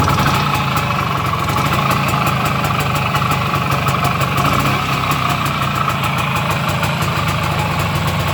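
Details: 1973 IZH Planeta 3 6V two-stroke with new digital ignition (old switch assembly, short-to-ground wiring harness): fast, steady crackling idle, even, no stumbles or cutting out; healthy idle.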